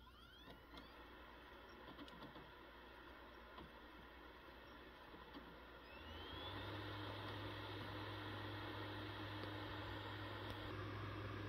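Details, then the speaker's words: PS5 Slim disc drive loading a game disc: quiet clicks, then a rising whir settling into a steady low hum as it spins up to start the game. Normal disc loading and spin-up. "so there you have it that's the sounds it makes during a load up and uh starting a game"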